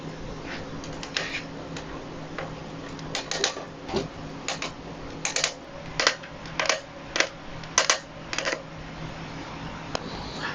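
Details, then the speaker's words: Fairly new Giant Talon bike with Shimano square-taper bottom bracket: sharp dry creaks and clicks in uneven bursts with each pedal stroke; bottom bracket to be removed, cleaned, greased and torqued to spec. "what's going on is it's making a lot of creaking noise so let me see if I can recreate this uh for you to hear"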